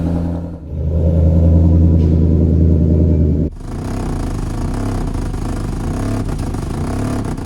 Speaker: No matter how expensive the repairs are or what's wrong with it, one turn of the key and you hear that bark, and all is forgiven.